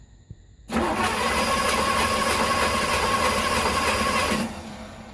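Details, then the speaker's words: 1981 Trans Am 4.9 L 301 Turbo with newly installed FiTech EFI, first start attempt after fuel pump priming: steady fast cranking, never fires; crank no-start, no RPM signal. "that's not good huh thank you okay yeah stage two startup uh we stuffed up the first one I um wired everything in I thought I had everything wiring but the main thing I missed I put the blue wire across to the distributor"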